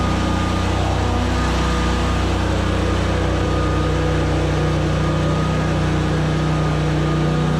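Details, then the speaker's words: ZT200 zero-turn mower deck test with new PTO switch, deck seized so blades won't spin: heavy steady engine drone sagging under load with dull hum, clutch likely slipping; engine bogging from seized mower deck. "so so okay we could hear it load the engine down probably slipping that clutch like crazy because it wouldn't turn but we could see these kind of make tension so something in here is completely stopped up"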